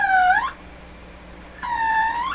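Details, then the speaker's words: 1925 Lacault Ultradyne receiver on the bench as B+ is raised: two bursts of a high whistle swooping down and up over a quiet hum; the set breaks into oscillation, suspected feedback, no regenerative circuit. "all new things happening let's stay below the oscillation oh look it's regenerating okay as far as i know there's no regenerative circuits in in this radio anywhere so but there's all kinds of possibilities for feedback especially especially with me here"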